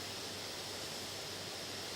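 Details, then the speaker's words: Late-2017 HP Spectre x360 13 with i7-8550U and dual fans, under load at about 41–42 °C, recorded with a phone: steady airy rush with faint high whistle, no ticking or rattle as fans ramp to high speed, normal. "It's now getting hotter, and the fan should be ramping up, as you can hear."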